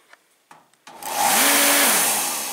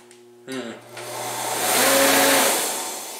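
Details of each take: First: Torpedo diesel heater fan motor after replacing the exploded start capacitor: a few light clicks, then spins up within half a second to a steady even whir in the right direction; normal clean start. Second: Torpedo shop heater with a "stuck" fan: low steady electrical hum with no spin-up, then a rushing surge as the fan turns, at one point running backwards and sounding different; motor not starting.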